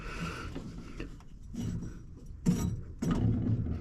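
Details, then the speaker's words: Hustler Raptor mower, about 200 hours, deck belt removed: hand-spun deck idler pulley gives a dry gritty rumble in uneven bursts, a worn bearing to be replaced; deck bearings also sound rough. "that idler is actually making some pretty good noise I didn't have that belt off"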